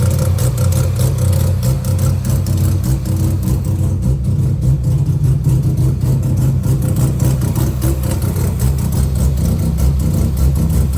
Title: 12a Bridgeport misfiring, electrical issue or something else?